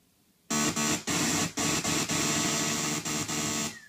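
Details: TurboGrafx-CD unit with replaced gear and some recapped capacitors makes loud, harsh buzzing bursts from the CD drive while loading data between tracks; games still play fine.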